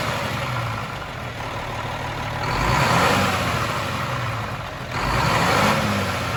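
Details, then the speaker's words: Cummins M11 diesel semi truck after priming/bleeding the fuel system following new fuel lines: steady idle with two clean throttle blips rising and settling smoothly, no hunting; revved a few times to get fuel flowing, no air bubbles. "When the truck's running, there's no more air bubbles going through. You gotta rev it a few times just to get the fuel flowing through there."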